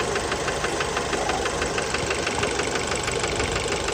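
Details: Fiat Bravo 2 1.4 T-Jet 150 HP at 215,000 km, after recent maintenance, close to engine: sharp even metallic knocks about three per second at idle; worn rod bearings confirmed, car scrapped, cause unknown; rod knock.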